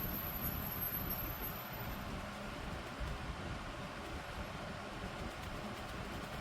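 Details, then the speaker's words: Holmes HAOF-1200 table fan (1996), running on high speed: soft, even rush of air with no rattle or whine; decent airflow, quiet, running normally. "So here is high speed. Now the fan does perform very decently. It does give some decent airflow, and it is quiet."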